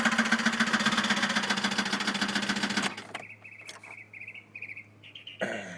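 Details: 2001 Chevy Malibu 3.1L V6, 122,000 miles, after an intake gasket job and stalling on a test drive: loud, hard knock three or four times a second through a rough idle before cutting out; teardown found a disintegrated piston and a broken valve head, likely a dropped valve seat.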